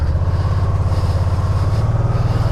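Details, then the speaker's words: 2010 Spyder RT-A&C at cold idle: an even beat with a buzzy metallic rattle from loose S-turn pipes inside the pre-muffler, and the only fix is replacing the pre-muffler. "But the pre-muffler, I've seen a few of these do that, where the pipes take a S-turn inside that pre-muffler. They'll come loose and rattle."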